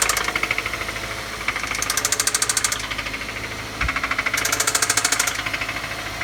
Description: This engine does have spin a rod bearing cylinder 1..